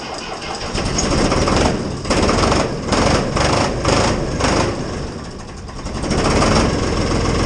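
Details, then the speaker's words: IHC 633 tractor, 3-cylinder 3-litre diesel, cold start at minus 10 °C with a Lidl charger/starter: catches and runs rough with a couple of uneven stumbles before settling; cold-start misfire. "Er hat sich zweimal noch gefehlt. Aber klar, ist auch ein 3-Zylinder, 3 Liter Diesel. Minus 10 Grad."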